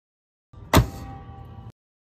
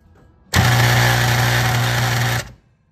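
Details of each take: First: as you can see the contacts get pulled completely in a allowing the current to pass smoothly this is a good contactor Second: Industrial motor-control contactor: loud harsh two-second electrical buzz-rattle, chattering because its coil's magnetic field is too weak to pull the contactor fully in.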